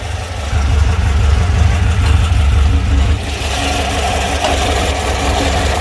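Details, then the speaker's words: VW Beetle air-cooled engine rebuilt over about 1.5 years, roughly 200 miles since; idles low when cold, good once warm: deep even idle rumble rising smoothly when blipped, slight cam lope; healthy. "it's just air cooled engine so it's not going to rumble but the cam is definitely a little um give it a little Rumble"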